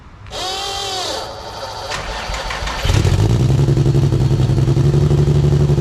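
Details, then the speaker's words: Nissan 350Z single-turbo at first start-up; cranks, catches and runs a lumpy, uneven idle; owner suspects a large vacuum leak, though injectors and hoses were checked without finding it. "all right guys as you guys seen i sounded like [ __ ] there's a huge vacuum leak somewhere"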